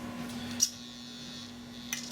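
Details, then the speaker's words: Model railway turnout micro servo via ESU ECoS console and SwitchPilot, travel CV set too high: constant buzzing hum with thin high whine and clicks as the servo stalls forcing against its end stop. "Et maintenant, on se rend compte que dans la position, on a trop augmenté la valeur du CV et que le cerveau force. On va l'arrêter pour ne pas l'abîmer."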